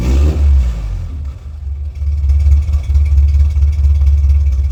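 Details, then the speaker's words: D50 with a newly built homemade muffler: deep, throaty rumble that swells with revs and settles back, with no rattles or leaks. Idle sounds similar to before but better overall; a healthy exhaust note. "Alright. I think it sounds better. I think it kind of sounds similar at idle. Can't wait to hear it on the power. But it definitely sounds better."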